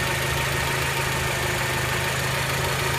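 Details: Honda Element, warm idle under the hood: quick, uneven light ticking from the top of the engine, not growing with revs; injectors ruled out, owner suspects valvetrain noise, unconfirmed; barely audible inside the car.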